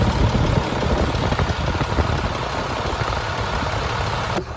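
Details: Rebuilt International 466E diesel truck engine at first start after rebuild, after it had died once and been restarted; even diesel clatter at idle with steady low rhythm, no knocks or misses, no leaks seen, healthy.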